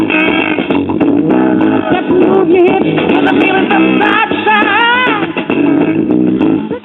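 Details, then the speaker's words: 1964 Newcomb AV7 tube classroom record player with no power transformer, two 50L6 push-pull output tubes and a 12AV6 driver, turntable motor sluggish, playing a record. Music comes out harsh and fuzzy, breaking up on louder passages: amplifier distortion, cause not yet found. "let's put it on a record and see what [Music] happens baby that's what I feel now as you can hear we have Distortion City [Music]"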